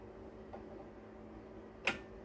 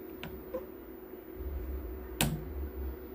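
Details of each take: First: 10 kV voltage stabilizer under repair, with output raised past the roughly 250 V limit and the cut-off preset adjusted: a faint steady hum, then a crisp relay click as it trips out, and it switches back on when voltage is lowered. Relay cut-off at overvoltage. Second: 10 kVA voltage stabilizer at switch-on: steady mains hum with a few sharp irregular relay clacks, then it cuts off before turning on; voltmeters also faulty; relay chatter, cause not yet found.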